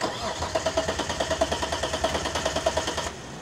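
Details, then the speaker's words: 1991 Dodge Stealth RT: starter turns the engine over at about three even pulses a second for three seconds, but it never fires or catches; cranks, no start. "it won't even start how long the welders won't start yeah the stealth won't start"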